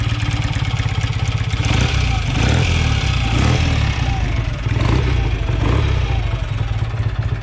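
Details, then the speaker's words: Rebuilt BSA A65 Lightning twin, just started on the first kick after rebuild: steady, even twin beat at idle with a few clean throttle blips rising and settling back; healthy, crisp engine. "It's got a beautiful sound. Oh, it's lovely."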